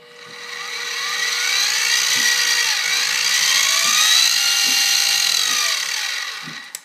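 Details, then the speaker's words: SIEG X2D gear-head mill run in high range, then back in low range, with little difference heard between ranges: a steady high gear whine with drifting tones and soft ticking about four per second, normal gear-head running noise. "And then back to low range. Well, I'm not hearing a lot of difference between high range and low range, but let's now compare that to the belt drive machine."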